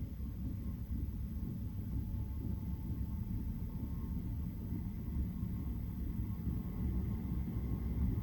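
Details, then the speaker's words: Chinese diesel heater in a van, running at temperature on a not very cold day: steady soft low rumble with an even, gentle lulling pulse, nothing harsh. Normal running, quiet enough to sleep beside. "It's kind of like this lulling choo, choo, choo, choo. It's not irritating."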